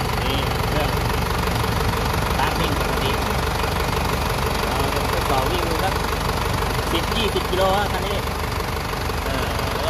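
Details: 2003 Isuzu 4JH1 diesel that stalled while driving and would not start, test run after the EDU box was repaired and refitted: even diesel clatter at a steady idle, about four beats a second, voices in the background; runs smoothly.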